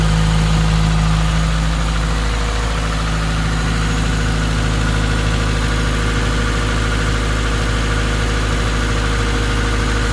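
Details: Subaru WRX 2.0 boxer (FA20) at idle after replacing all valve shims, warming to temperature with RPM dropping; previous owner reported driver-side ticking. Loud smooth idle, steady drone, no lifter tick: normal idle, lifters now quiet.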